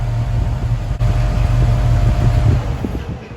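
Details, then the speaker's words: 1969 Pontiac Firebird, Pontiac 400 with Holley Sniper EFI, warm at idle after setting IAC position to about 4%: steady low V8 idle, speed dips slightly as cooling fan kicks on then holds even, IAC staying between 2 and 10%; normal idle. "Now the fan's going to kick back on, you're going to see that jump again. But it's still staying between that 2 and 10, which is what you want."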